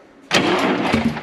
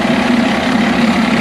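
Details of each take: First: DT466 diesel in M36A2 2.5-ton truck, cranking on a replacement starter after hours of work, near-empty rusty fuel tank; starter turns steadily but never fires, suspected lost fuel prime. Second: DT466 diesel in M36A2 2.5-ton truck, restarted after bleeding air from the fuel lines; steady diesel clatter at an even idle, no stumbling or surging, running smoothly.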